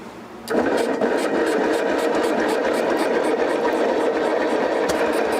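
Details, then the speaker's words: 1959 BMW Isetta, first start after sitting 40 years: catches after short crank, then busy rattly run with uneven ticks and clatter; unidentified noise, owner suspects dirt and crud inside. "Do you hear that noise though? It's kind of like, Yeah, I don't know what that is. A bunch of dirt come out of something. I bet it's probably just dirt and crud all up in there."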